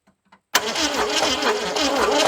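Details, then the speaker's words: 1978 Ford Fairmont that sat about 35 years, with timing advanced: the starter churns the engine slowly in a sluggish, labouring rhythm without catching. The battery seems weak, and it cranks too slowly to start. "happens well the battery don't sound all that great so I reckon let's go to the house I might steal the one out of the Forte and uh see if it's any better but it's got to turn a whole lot faster than what it is or it won't never ever start"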